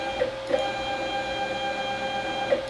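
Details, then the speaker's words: Robo R1 3D printer being revived: the Z-axis stepper motors give a steady, even whine with a soft tick at each move start and stop, working smoothly and normally. "and now you won't be able to see it very well but you will be able to see the turning motors there's our z they work beautifully"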